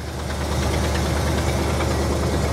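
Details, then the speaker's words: 1973 Buick Regal coupe, abandoned ~13 years, at idle during long road trip: even idle with fast light ticking keeping pace with engine; exhaust leak, transmission later failing to engage. "wow listen to that yeah other than the exhaust leak yeah i bet she'll go right into gear"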